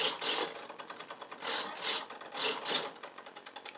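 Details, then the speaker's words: Hitec HS-7955TG digital servo in a Sky Master F4, model on its side on the bench, sitting at neutral: fast, uneven high-pitched chattering buzz in bursts; owner sees no binding and asks whether it is just centering; noise stops when model is turned over. "is that normal is what I want to know the chattering I'm hearing right now is that the servo kind of Center itself or is the chatter"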